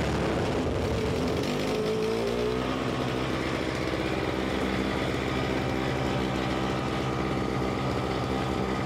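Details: Simplicity 520 single-stage snowblower (5 hp, 20 in), second start on choke: engine pitch sags as the auger drive load comes on, then stays low and labouring, which it should not do; owner suspects the carburetor.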